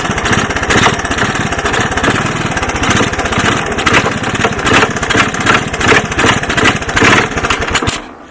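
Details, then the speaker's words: 1981 Honda ATC 185S single-cylinder, first start with portable 12 V CDI ignition, clone carb and new plug: rough run with heavy, uneven clunks a few times a second; deep mechanical clunk, cause unknown. "i don't know did you guys hear that clunking in there she didn't sound very good didn't sound good at all"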